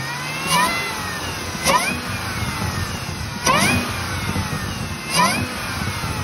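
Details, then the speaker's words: 2018 Chevy Camaro ZL1 6.2L LT4 supercharger before rebuild: each throttle blip brings a loud rising whine like a bad power steering pump, climbing with revs and fading on release; bad pulley-side inner bearing and coupler, later rebuilt. "what it was doing was as you heard in the first video is making that loud not supercharger wine but the almost like a bad power steering pump one and it was doing it really bad it just didn't sound good"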